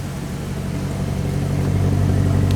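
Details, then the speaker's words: Maserati Quattroporte after repairing a massive misfire: smooth, even low idle with steady beat and no stumble; runs cleanly with no misfire, not yet tested under load. "then I think we've done it that is sounding beautiful and no misfire"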